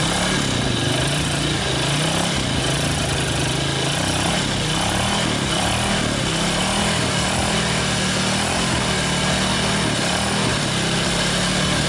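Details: 2006 Yamaha Vega R new motorcycle after engine teardown and parts replacement for a harsh, rough-sounding engine: steady, even single-cylinder idle with a constant beat, no knocks or rattles; now smooth.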